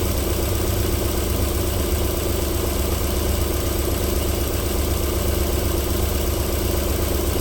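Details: 1994 Alfa Romeo 3.0 24v QV engine, cold start-up idle with a steady, even low rumble and no knocks or misses; a normal cold idle, though knocking returns after about 4 minutes.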